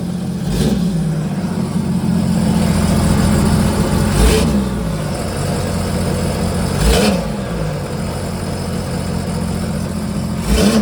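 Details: Sea-Doo GTR 230 jet ski after renter damage (overheated, flooded engine, melted water resonator), repaired with the resonator bypassed: loud, throaty engine running steadily with sharp throttle blips and a deep rumble; runs evenly and healthy.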